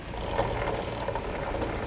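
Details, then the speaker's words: Motorcycle drive chain while running: steady small-engine drone with rough, rattly mid-range chatter, louder when riding; noisy chain suspected from wrong tension (too loose or too tight), front sprocket to be flipped. "Ni kalau dah bawa ni lagi kuat bunyi dia."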